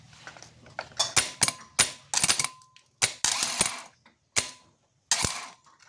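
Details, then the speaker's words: Mitsubishi Adventure 4D56 starter motor, rebuilt with armature and carbon brushes after a no-crank (click only) fault, bench-tested: short whirring bursts, each started by a sharp solenoid clack, come and go cleanly; it runs freely. "So dito na nga po nung maassimbol ko na 'yung starter motor. Ready to testing na"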